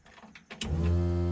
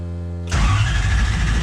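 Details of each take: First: Ford Falcon with a 1UZ V8 swap at its first start attempt, key on in neutral: quiet click then a steady electric hum from the fuel pump priming; the tank turned out to be empty. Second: Ford Falcon with a Toyota 1UZ V8 swap, first start attempt in neutral. Starter churns unevenly about three and a half turns a second with no firing because the fuel tank is empty: cranks but won't start.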